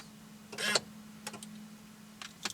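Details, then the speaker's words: 2003 Chevrolet Corvette Z06 (C5), column lock checked with a Tech2 scan tool: on key removal a short whirring buzz from the lock actuator, then light clicks as the column locks to ignition off locked; normal operation. "soon as I pull the key out you're going to see key out state and you heard the actuator work and now it says ignition off locked and the wheel is now locked key on actuator Works key"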